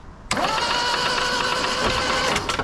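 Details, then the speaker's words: 1974 Toyota Celica GT, 5-speed, reportedly freshly rebuilt but sat a long time, cranked on a jump battery with the spark plugs out: fast, even whirring crank, steady starter whine, no knocks; normal. "I got a jump battery in there let's crank this over plugs out see what it"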